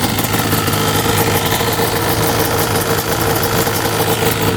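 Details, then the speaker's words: 1995 Yamaha Banshee 350 two-stroke, revived after 18 years in a barn, before first ride: crisp, steady idle with an even, rapid beat and no misses or rattles; normal idle. "I forgot how good Banshee sound best sounding machine there is for sure sounds so good"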